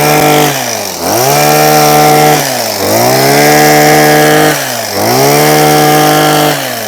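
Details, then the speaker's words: Husqvarna 123HD60 hedge trimmer, long unused, after fitting new carburetor diaphragm: small two-stroke revs cleanly up and drops back to idle, picking up crisply with no stumble; normal running. "I've now got a nice Husqvarna hedge trimmer. Turn it on. Nice, man. Well, nice. We like that quite a lot."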